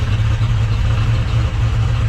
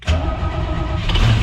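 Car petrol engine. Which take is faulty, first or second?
second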